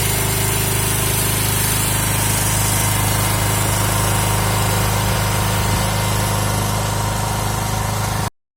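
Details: Briggs & Stratton generator first started after sitting 2 years, now holding a steady, even small-engine drone at constant speed with no misses or knocks until shutdown; normal running.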